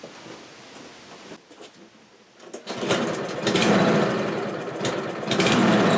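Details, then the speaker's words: Kohler-engined lawn mower: the engine revs up, swells and sags unevenly instead of holding speed. Turning the carburetor adjusting screw did not cure it, so a carburetor change is planned. Engine hunting. "e if it runs fine because the way it is right now that's it's hunting up and down up and down and you know that that's that's not right"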